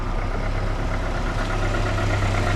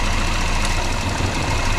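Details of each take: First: Volvo 480 at idle: steady low idle with a slightly clattery, diesel-like edge and no misfire; owner suspects HT leads, but this is how the engine normally sounds. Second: Volvo 480 engine at idle, owner suspects HT leads behind diesel-like sound; with one spark plug lead pulled it runs very rough, an uneven lumpy idle with irregular thumps and shaking low beat, one cylinder disabled.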